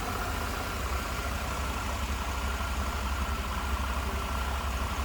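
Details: 1991 Oldsmobile Custom Cruiser wagon, V8, confirmed miles, hood open over a clean engine bay: low, even V8 burble at idle with a steady rhythm and no ticking or knocking; normal idle.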